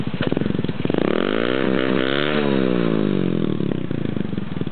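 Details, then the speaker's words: Honda Cub clone single-cylinder with a homebuilt, shortened low-back-pressure muffler made from the stock one: it putters evenly and revs rise smoothly and settle, crisp and fairly quiet, running well. "It's hard to tell how loud it is in the video, but it sounds good."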